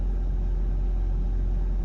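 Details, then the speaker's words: Mercedes 220CE W124 coupe petrol engine idling after two replacement throttle bodies, V-Power fuel and injector cleaner: idle still high (about 1500 rpm) but steady and no longer lumpy, misfire gone; high idle persists. "So you can hear she's still idling a bit high, but not lumpy anymore. Misfire's gone, so I'll just have to run him for a bit, see how it goes, and go from there."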